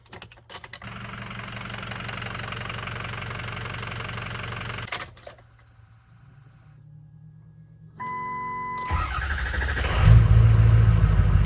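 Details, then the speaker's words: 2006 Ford F350 6.0 Powerstroke diesel after repair of a stranding fault, cold start: brief cranking, then an even deep diesel idle with steady clatter and good oil pressure; normal cold start and idle. "Right away, perfect oil pressure. It's cold, but everything looks good there."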